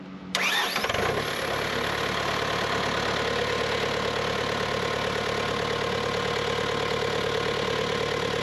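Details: Bobcat T300 diesel skid steer: brief crank, catches within a second, then a steady, even idle with no knocks or misses; normal start and idle.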